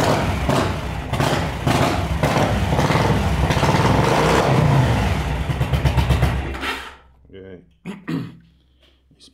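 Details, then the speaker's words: Yamaha V-Star 1100 Classic with carburetor flooding the spark plugs after fuel pump replacement: uneven lumpy V-twin beat with sharp backfire pops, stumbles and dies, running on one cylinder; carburetor suspected. "this is the problem with the with the carburetor now is flooding the spark plugs"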